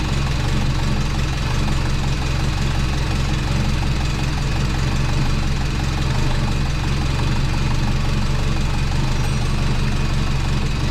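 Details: Twin-turbo (compound, GT35) Subaru Forester after exhaust joint leaks fixed and wastegate tightened; deep, steady boxer burble at idle, even rhythm, no ticking from joints: normal idle.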